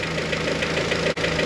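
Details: Honda H22 (G23BK) engine at cold idle after lost motion actuators replaced and timing bolt flex removed; light, quick valvetrain ticking at the top end is softer than before but still present.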